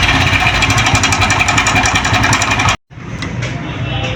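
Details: 2023 Honda CD 70 motorcycle, 6000 on meter, idling: fast metallic clatter near three raps a second over the small single; worn, slack timing chain rattling loudly, timing chain set replaced.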